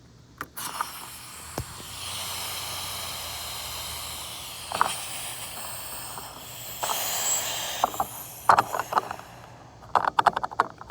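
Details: 1995 Toyota Camry with gas tank leaking from the bottom: steady hiss lasting several seconds as excessive trapped pressure escapes the tank; the tank isn't venting properly through the evap line to the charcoal canister.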